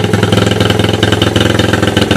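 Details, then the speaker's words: Honda ATC185S three-wheeler with Hi Performance ATC suspension, newly fitted gas tank and 12VDC portable GY6 CDI box, first start, idling by the garage: even single-cylinder putter, steady rhythm, no knocks, rattles or smoke. "As you can hear, there's something running down by the garage, and what it is the Honda ATC, I think it's a 185 or 200S, but it has that unique suspension on"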